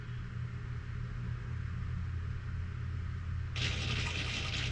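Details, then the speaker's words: Avidyne Vantage install incoming test on Cirrus, trim servo bench-driven by slowly raised voltage: low electrical hum, then at about 5.7 V a rough, gritty grinding starts as it struggles to turn; starting voltage too high (7.7 V in the other direction), servo needs replacing. "So that's 5.7. You can just hear it starting to grind away in there. And that's that's too high. So that servo is going to need to be replaced."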